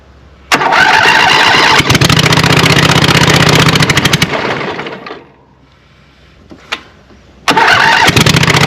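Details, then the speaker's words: Scag Cheetah 61-inch mower with a swapped-in Craftsman 24 hp Briggs & Stratton twin, no muffler, engine not bolted down solid: starts on full choke, runs loud and ragged, wants to die when choke comes off; carburetor or other issue suspected. "I'd say it's got some kind of carburetor or some other issue because as soon as I take the choke off it was wanting to die"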